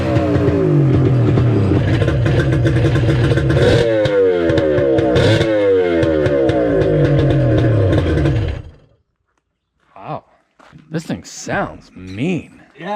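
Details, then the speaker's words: 1994 Sea-Doo XP after a 1200 engine swap with a homemade water box: raspy two-stroke drone with crackly revving and crisp, even firing, then shut off; runs well despite one leaking carburetor. "i tell you it sounds cool i wonder what that water box that i made sounds like and um she sounds nasty yeah"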